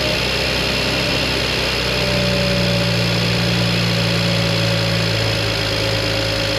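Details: BMW 335i, twin-turbo N54, abandoned car that died and wouldn't start, after replacing the failed high-pressure fuel pump: steady, even idle with a smooth low hum, no misses or knocks; starts and runs cleanly now.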